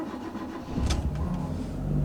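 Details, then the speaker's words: 2008 Hyundai Accent 1.6-litre automatic, sat about a year and overdue for a service: a short starter whirr, then it fires first time and settles into a steady, even idle, a normal engine start. "much starts first time I owned I reliability on show here"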